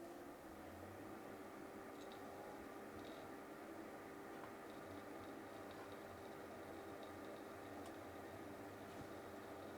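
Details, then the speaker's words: FIDECO YPZ03SN USB docking station with cooling fan, just after a 3.5-inch hard drive is inserted: quiet, even whirr with a steady mid-pitched hum from the spinning drive over soft fan airflow; drive spin-up and fan running normally. "okay can hear that spinning up now let's check the system"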